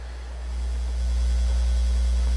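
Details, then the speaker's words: Technics SL-D30 direct drive turntable under repair: steady low hum with low buzz, rising slightly then holding even; finger across needle not coming through receiver properly, tracking weight seems off, hum cause unknown. "getting a hum and even when you should be able to run your finger now it's just something's not right"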